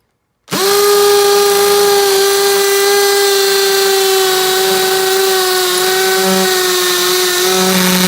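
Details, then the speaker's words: Makita XPH07 brushless cordless hammer drill in hammer mode, drilling a cinder block with a concrete bit and no depth gauge: steady high motor whine with harsh rapid hammering rattle, even pitch under load; normal hammer drilling. "I'm gonna put it on speed to the non brush this one first and we'll put it on the hammer function and we'll see how it does"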